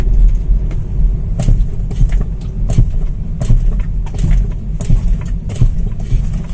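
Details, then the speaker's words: BMW X1 on the road: sharp dull "tuk-tuk" knocks from the front suspension over low driving rumble when the brakes are tapped; mechanic suspects worn control arm bushings. "Mas na hora que eu dou uma cutucadinha no freio, a gente percebe que ela bate, tá? Ela faz um tuk-tuk, né?"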